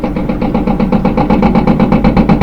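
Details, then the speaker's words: Front-load washing machine, empty drum spinning up: fast, even thumping in quick regular pulses, louder at high speed as the loose shaft bounces in a worn rear drum bearing; worn rear drum bearing. "You're going to get this banging sound. You can hear the bangings coming from the back."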